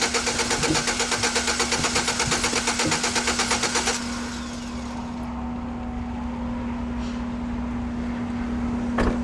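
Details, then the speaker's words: 4.3L GMC V6 pickup that stalled on the road after a banging noise: starter cranks evenly with even compression beats about three a second, but it never fires; compression heard means the timing chain is still connected. "all right it cranked evenly and it crank it had compression you could hear it going"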